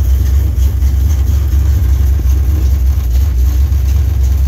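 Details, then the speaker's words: First start of a rebuilt .060-over 327 V8 (1968 210hp block, factory heads, lumpy performance cam, Edelbrock intake and 750 carb, HEI) in a 1968 Camaro: deep, loping, choppy idle, steady and strong, no knocks or ticks; oil pressure looks great, healthy. "oh man he started right up he's got some cam in it too you can hear the thing it's got a pretty good little long stick in it"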